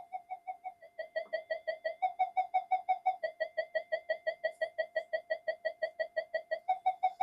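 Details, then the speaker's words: Minelab GP Extreme metal detector on the bench with an intermittent fault: no audio, or an alien-like sound, triggered by touching the boards. A steady mid-pitched beep pulses about three times a second on its own: unstable, oscillating audio with the cause not yet found. "It's working, but it's not working. We've got audio, and it's getting this."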